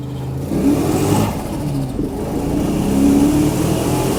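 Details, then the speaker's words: Procharged 1996 Mustang GT V8 on its first drive, pulling hard in third with the chip unplugged: uneven, choppy note breaking up under load, with an exhaust leak back; cause not identified. "breaking up hard in third I can't sit here and say that this car is running great because obviously it is not"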